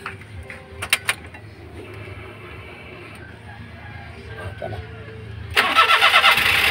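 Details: Daihatsu Atrai with a no-start fault, after the fuel pump motor was replaced and the tank refitted: after a quiet spell the engine catches abruptly and settles into a steady, even run; it starts normally.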